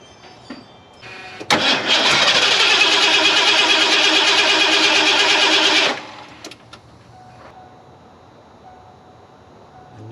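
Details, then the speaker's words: Ford F250 that sat several years: about four seconds of steady cranking, never catching. Spark is consistent and it has fuel; a disconnected part or a vacuum leak is suspected. "I know it's getting fuel. It did fire. I still feel like they disconnected something that I can't figure out."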